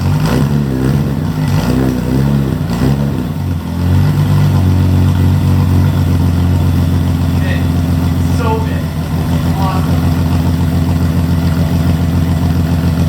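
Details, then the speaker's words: BMW E30 parked over 4 years, new alternator fitted and air box refitted: a few seconds of cranking, then catches and settles into a steady, even idle with no misses or knocks; started right up, healthy. "As you can see, started right up, no issues."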